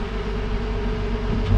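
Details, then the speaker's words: Jeep JL Wrangler Rubicon V6 revved lightly just after a cold start. A steady, deep, mild exhaust drone swells slightly near the end: an even, healthy rev, though the owner finds the note unimpressive. "the new jl wranglers don't really have the best exhaust note so here's a cold start see what i mean i'll give you a little rev"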